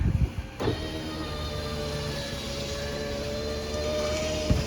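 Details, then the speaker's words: 2004 Toyota Highlander front right passenger window after window motor replacement, ignition on and engine off: smooth steady motor whir for about four seconds with a soft clunk at each end, going fully up and down; healthy. "Goes up all the way. Goes down all the way."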